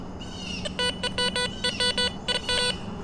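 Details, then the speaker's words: Garrett Vortex VX9 metal detector with bottle cap reject turned up to 5, target reading 52 next to a bottle cap: repeated identical mid-pitched beeps on each sweep with no iron bumps; a consistent non-ferrous target, dug up as a ring. "Still pretty consistent. I'm not getting any iron bumps on there."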